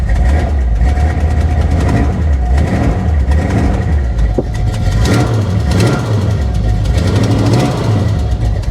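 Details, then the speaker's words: Carbureted V8 at a salvage auction, started after a few throttle pumps. Deep, even rumble swells and settles with each rev, with no knocks or misses: a healthy V8. Exhaust is dumped. "actually sounds really good really good"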